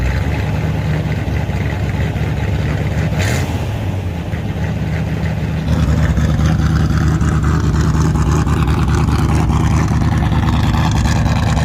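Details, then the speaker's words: 1978 Chevy Nova Concours V8 with new high-flow muffler; loud burble climbing to a higher steady fast idle without throttle; vacuum hose found detached and fitting pulled out of carburetor: high idle from vacuum leak. "what the heck is causing this thing to idle so high uh didn't even leave the driveway and the things idling up a ton and somehow this vacuum hose it's not attached"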